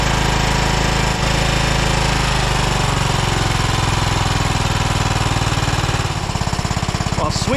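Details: 2012 Toro Timecutter SS 5000 zero-turn (model 74630), Kawasaki twin, first start with choke worked by hand: loud, lumpy chuffing about three beats a second, uneven; running on one cylinder, later fixed via rockers and valve adjustment.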